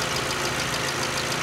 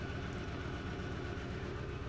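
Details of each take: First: 2012 VW Jetta GL 2.0L after replacing faulty cylinder 1 plug wire that caused P0300/P0301: smooth, even idle with steady pulses and no stumble; misfire count zero, all cylinders firing. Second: 2012 VW Jetta GL 2.0L with P0300 and P0301, rough running, flashing check light, raw fuel smell: extended crank then low, uneven chugging idle with irregular stumble; cylinder 1 misfire.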